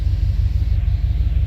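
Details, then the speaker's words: 1989 Chevy Silverado after coolant temperature sensor replaced to fix a no-start: warm idle, temp gauge risen to normal, deep steady low rumble with even pulses, no ticking or knocking; normal warm idle. "it was moving up when the truck warmed up and everything um and it's it's doing so now it's moved up to where it's supposed to"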